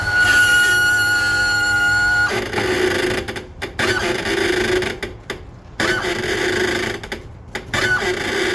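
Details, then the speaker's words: Suzuki DF250 outboard (about 2007) trim unit, after draining, cleaning rust from all three cylinders and refilling with AW46 hydraulic fluid, bled level: normal going up, steady pump hum with rising squeal and groan only when lowering onto the trim rams, not the tilt ram; cause unknown. "what we got now is this noise when the unit comes down and only when it starts to hit these Rams"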